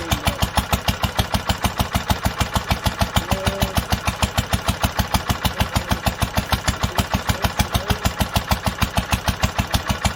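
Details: 1946 International Harvester LBB 3-5 hp water-cooled single-cylinder on first cold start after sitting long covered, choked twice; even steady firing about two beats per second with clean regular rhythm: normal smooth running.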